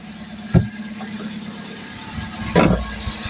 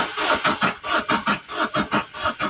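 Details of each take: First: 2017 vehicle with crank-no-start caused by a faulty relay, after replacing the relay: a couple of clicks, then the engine catches and settles into a steady, even idle with no stumbling; starts and runs normally. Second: 2017 vehicle with crank-no-start: the starter turns over slightly slowly, about four even compressions a second, but never fires. The slow crank is not the main issue; fuel delivery failure from a faulty fuel pump relay.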